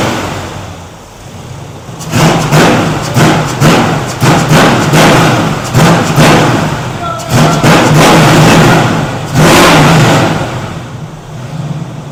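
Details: 1971 Chevrolet Chevelle SS 454 V8 with newly installed Holley Sniper 2 EFI, first start, one minor leak fixed and timing set; loud, lumpy through open headers, throttle blips rising and dropping cleanly with crisp, snappy response; healthy engine.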